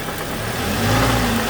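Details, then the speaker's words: 2007 Toyota Tacoma 2.7 four-cylinder, cold, running only 2–3 minutes. Quiet at idle with a slight knock, then a deep bottom-end knock hardens as the engine is revved. Cutting injector 1 changed the knock, and teardown revealed a spun connecting rod bearing. "so at an idle it sounds fairly quiet but it's when you well there's a bit of a knock there and it's cold right now it's only been running for about two minutes three minutes"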